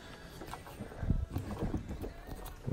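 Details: Lada Kalina/Priora steering rack check, tie rod pulled up and down by hand: quiet, irregular dull clunks in short bursts, showing play from a worn steering rack.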